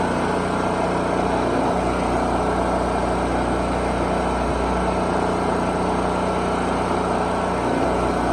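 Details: 4375/3500-watt portable generator prepared after storage, unused since last winter. After starting it holds a steady, even drone with constant pitch and no surging; it runs normally.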